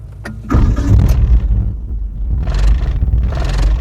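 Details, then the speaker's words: Car that previously would not start despite a new battery, starting after a replacement part was fitted: a brief crank, then it catches at once and settles into a strong, even idle with light revs. A healthy start. "Tapi ho, dia punya start enjin tu memang power ah. Aku suka dengar macam kereta baru."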